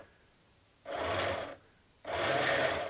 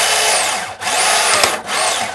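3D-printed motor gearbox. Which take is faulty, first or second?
first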